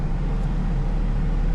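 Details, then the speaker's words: 1988-1991 Honda CRX Si, after new blower motor installed, AC on: steady low rumble of engine and fan with no squeal or rattle; the new blower runs quietly and smoothly, normal operation. "you don't hear nothing. You don't hear no, you hear the blower kicking in."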